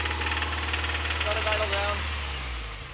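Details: 2005 Subaru Impreza 2.5RS, 100k miles, revving: sharp regular knock about four per second, easing as revs drop; teardown confirmed bad #1 rod bearing; engine replaced with used one.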